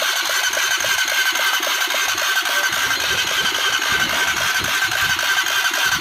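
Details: Honda CBR 150 engine after full rebuild: even, quick ticking idle with crisp top end and no knocks or grinding; healthy.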